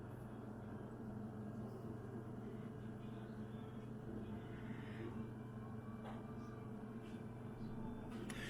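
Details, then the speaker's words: Kenwood American-style frost-free freezer after replacing the noisy recirculation fan motor, heard from the back: quiet, steady low whirr and hum, no rumble or knocking; new fan running smoothly. "not sure how well you can hear that there break does its work in I can hear it whirring away yeah believe it's do the job did sound quite nice"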